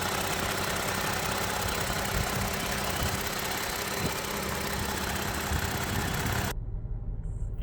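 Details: 2017 Toyota Sienna V6 idling with an uneven beat and occasional low stumbles: random multiple-cylinder misfire (cylinders 3, 5, 6), injector imbalance code; plugs and coils fine, cause dirty injectors, fixed by cleaning them.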